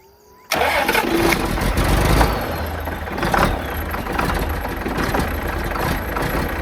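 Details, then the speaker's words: 4640 tractor diesel after fitting a new exhaust elbow and muffler cranks briefly, fires at once and settles into an even idle with a steady exhaust note, no knocks; normal start and idle. "I'll probably get us an extension, but let's see what it sounds like with a new muffler on it."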